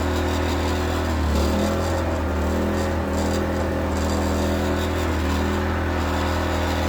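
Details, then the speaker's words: New WEN inverter generator in a truck DIY APU setup, freshly filled with full synthetic oil and started on choke: steady, even low hum, smooth drone, no knocks or surging, much quieter than the previous generator; normal running. "definitely way quieter than the other one here"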